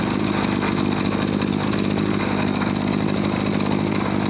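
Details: Small two-stroke farm water-sprayer engine that lacked power and ran poorly when throttled; after cleaning and adjusting the air setting screw it holds a steady, even buzzing run with no bogging, surging or misses.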